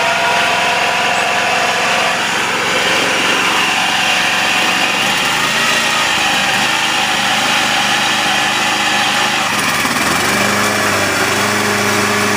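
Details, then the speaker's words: 1980s Honda HR194 PX (HR series) lawnmower started on choke; piercing high screech over fast-running engine, occurring when blade not engaged; owners suspect the blade clutch; loud squeal. "yeah but the screeching sound it makes is just your ear splitting I mean and I'm not over exaggerating or anything that that sound is you're splitting so we just think that's the blade clutch that can be fixed if we just replace it"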